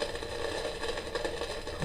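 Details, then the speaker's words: Kaiser valve tabletop radiogram, signal tracer at the audio stage after swapping a suspect 100k resistor: constant hiss and buzz over a steady hum, unchanged; noise in audio output still present, fault not yet found. "This is where it was noisy before. Power on. There it is. It's still there."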